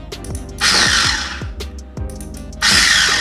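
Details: SX-685 chopper with new replacement dinamo (old one sparked at brushes and stator), stock switch fitted before modification, running only when both switches pressed together: two short even bursts of steady whir, no grinding or sparking crackle.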